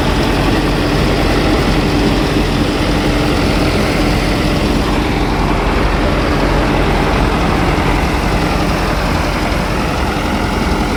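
Old diesel settles into a steady, even idle with a deep low rumble and no knocks or misses; runs healthy.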